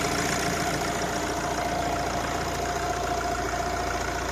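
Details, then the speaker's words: Accident-damaged 2016 Opel Vivaro B 1.6 CDTI (R9M Euro 6) diesel with brand-new injectors: steady even idle clatter with no knocks, misses or hunting; engine runs perfectly, normal diesel idle. "Motor dela brezhibno, zelo lep zvok ima, prede kamucek."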